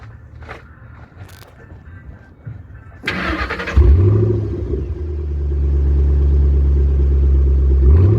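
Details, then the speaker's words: 2008 Ford Mustang, low-mileage, during a pre-purchase inspection, started with its small mufflers: short crank, quick rev flare, then a deep steady idle with one light blip and no drone; healthy start and exhaust. "Like I was saying, this sounds really good for the amount of exhaust. Just those little mufflers, this sounds great."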